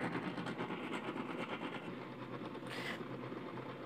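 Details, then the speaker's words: Polytron twin-tub washer, empty wash side running: rough churning rumble with uneven clacks. Not the pulsator, likely the gearbox. Water seepage found at the gearbox. Worn, loose gearbox grinding. "Nah di sini masih terdengar berisik ya suaranya ya teman-teman masih kasar ya jadi bukan kerusakannya itu bukan di bagian pulsator namun kemungkinan ada di bagian gearbox ya teman-teman"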